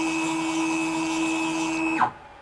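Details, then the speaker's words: WorkBee CNC machine with new TB6600 Mach3 parallel-port controller, jogging X then Y axis: steady even stepper tone for two seconds that winds down cleanly when the jog stops; normal. "so if i move the jog down now we're set to 100 on the x axis select the y-axis"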